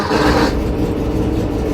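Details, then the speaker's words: VW Beetle Type 1 engine after a swap to a Bosch starter taken from a Porsche 914; worn mounting holes where the motor sits into the transmission had made the starter give a grungy, Chevy-like noise: now a steady, even whir with no grinding; normal starter cranking. "hey that sounded like it used to with with the other box starter that I had"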